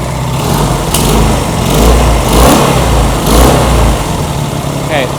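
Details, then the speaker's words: Honda CB200 with aftermarket carburetors, during carb tuning after slide adjustment: twin revving and idling with an uneven, stumbling beat, one cylinder not firing cleanly; cause unclear. "we definitely have something going on over there on that cylinder."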